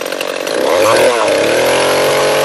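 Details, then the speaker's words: Echo CS-341 chainsaw, new carburetor fitted but still ran poorly, after carb high-speed tuning and new bar and chain: climbs quickly to a clean high scream and holds it evenly, no stumbling; carburettor running right. "you heard the engine bogged down a little bit but yeah looks like it's running good"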